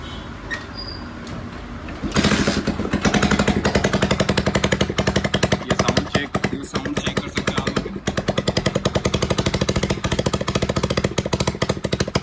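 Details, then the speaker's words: Hero Splendor Plus carburetor model bike at idle: loud rapid ticking puffs with every firing stroke, unusual sound from the silencer; both silencer bolts have come loose and the silencer packing is damaged, causing an exhaust leak. "Sound अनइन sound आ रहा है इसका। और ये sound है silencer का। Silencer के अंदर क्या दिक्कत हो रही है?"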